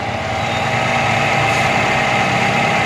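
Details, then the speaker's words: Car cold start on a cold morning after heavy rain, mic near engine: steady, slightly raised idle hums evenly without hunting or knocks; normal high-rpm fast idle of a cold engine. "वैसे तो आज ज्यादा देर इसका आरपीएम् इतना ही नहीं रहा लेकिन अभी हाई है इसका ठीक है"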